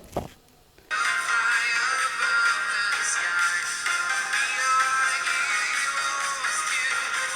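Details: MacBook Pro 2012 speaker after repairing its peeled rubber surround with rubber cement glue: music plays clearly, thin on bass, and the previous crackling is gone.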